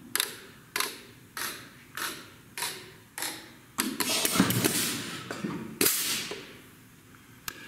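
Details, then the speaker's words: Bendix ABS/ATC/EBS trainer board, ABS ECU self-check after wheel speed returns to zero mph and the ECU resets: crisp rhythmic modulator clicks about four a second, a short hiss of air, then a few more clicks. A normal self-check. "now to go through its little self check again again you'll get used to this wonderful little rhythmic noise"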